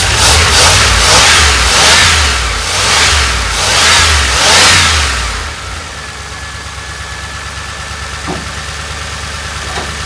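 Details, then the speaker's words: 1988 Dodge Ram W150 4x4 V8 with TBI injection, first run after long storage with the fuel gauge below empty. Steady idle after throttle blips, even firing with a faint ticking on top; fuel pump working, noise normal for this engine. "try to get out here this time and crack the throttle i can hear the injector squirting so the fuel pump's working"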